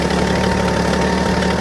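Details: Ford bullnose truck, 300 cu in inline six with new two-barrel carb (converted from one-barrel) and new air cleaner; deep even low drone with faint hum on top, no tapping or stumbling; normal idle.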